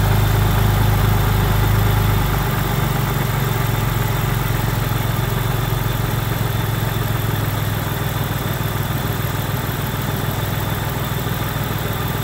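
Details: Ford ST220 with a random misfire on banks 1, 2 and 3, badly down on power: deep uneven exhaust beat with an irregular stumble and no clean rise in revs. It won't rev past 5k stationary and is worse under load, due to a blocked rear cat.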